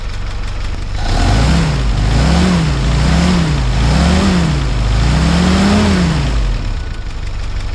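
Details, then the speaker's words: 1955 Willys CJ5 Jeep, 506 miles since engine rebuild, after gasket and exhaust work, throttle return spring set and idle raised: a low, steady, quiet four-cylinder idle with an even beat; normal idle. "[Music] Yeah, that's good. These motors sure are quiet, aren't they?"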